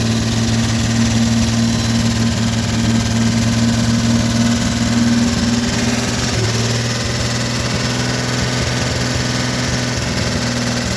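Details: 1957 Chevrolet 210 V8, revived after sitting since 1991, idling on a makeshift gravity-fed fuel hose into the carburetor. Smooth, even, low burble with a faint hum and no knocks or misfires. Normal idle.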